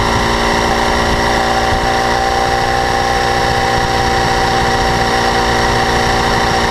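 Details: 2012 BMW S1000RR, about 4,500 km, idling: fine, fast high-frequency metallic ticking and rattle over the four-cylinder, absent at first and growing louder. Cause unknown; owner suspects valve clearance or the interference pipe flaps.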